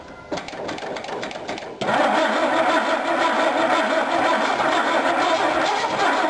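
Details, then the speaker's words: Dodge Dart engine started on gas poured in the carb before engine removal: brief crank, catches and runs with a steady, fairly quick knocking beneath the running noise; internal knock of unknown cause. "Let's hop in it and see what happens. See if it'll start and you can hear that knock."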